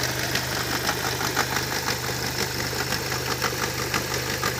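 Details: Opel Vectra C with Z20NET engine running with an odd, uneven light ticking and rattling over the idle at roughly two beats a second; unidentified engine noise, cause unknown.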